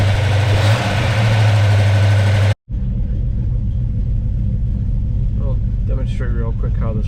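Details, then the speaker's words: V8 with Holley 650 double pumper and newly installed fast idle solenoid, toggled on and throttle bumped; steady, smooth raised idle above the 800 rpm base, stated about 1,200; fast idle working as intended. "Turn on the toggle right here. Bump the throttle. Burp it. Whatever. Now you're at uh 11,200. Nice."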